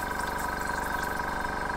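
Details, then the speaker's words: Philip Duclos Odds n Ends hit-and-miss model engine run on compressed air with homemade cast iron piston rings: steady rapid puffing with constant airy hiss, air escaping from oil hole; compression leaking past poorly sealing rings. "quite a lot of pressure there though but you can hear it leaking well i've messed around trying to get the piston with the cast iron rings to seal properly right i just can't get them to seal right"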